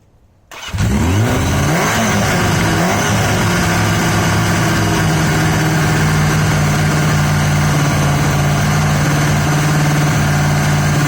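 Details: Yamaha XJ750 four-cylinder motorcycle brought back to life: short crank then steady, lumpy, uneven idle running only on cylinders three and four; one and two not contributing despite spark on at least one.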